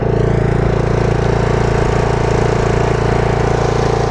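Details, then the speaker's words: Mower under a year old with about 23 hours, after dealer warranty work: at high idle the engine beat is even and steady with no clatter, though it runs rough and clatters at low idle and worsens the longer it runs. "Whenever you bring it up to high idle, it sounds fine."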